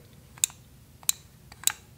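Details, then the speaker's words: TIG welder foot pedal, opened because the pedal gave full amps with no amperage adjustment. The internal microswitch's red button gives four crisp, distinct clicks about half a second apart, so the switch works. "you can see that little red button there and you can hear it click"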